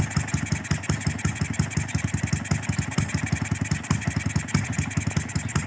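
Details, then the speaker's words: Used carbureted Honda Wave 125R: starts easily and idles with small, even single thumps at about six beats a second, with no misfires or tapping; normal idle. "รถสตาร์ทติดง่ายนะครับพี่เดี๋ยวติดนะเดินเบาปกตินะครับ"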